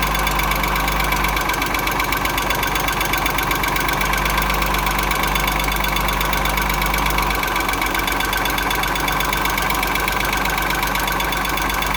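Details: Engine knock on a 2.6 ABC engine: fast, fairly regular knocking of about four per second over a steady idle. Cause not identified.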